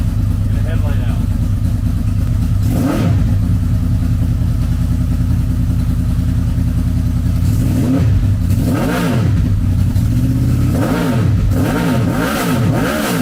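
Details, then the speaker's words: Wrecked 2006 Honda VFR800 V4 auction motorcycle running after rod installed to stop oil spitting out; exhaust needs repair; smooth idle then several clean blips rising and falling in pitch, no rattle or misfire, healthy. "Well, we have a runner, and I hope that brought as much excitement to you guys as it did for me, because I've wanted one of these. It sounds good."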